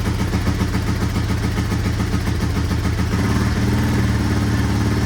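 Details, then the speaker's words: 1983 Honda XR200R single after full engine rebuild, just started cold on half choke, cam chain adjustment to be checked once warm: quick even thumping, no cam chain slap or rattle; normal idle. "quiet, no cam chain slap. Still gonna loosen this up here in a bit once this warms up and just make sure it's adjusted, but I can't hear anything, which is good."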